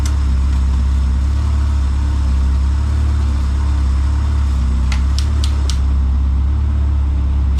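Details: Honda CRX with freshly rebuilt zero-mile B20Z swap, first start, new NGK iridium plugs, no cooling system fitted, idling just under 1000 rpm: deep, smooth, even idle with steady low hum, no knocks or ticks; healthy.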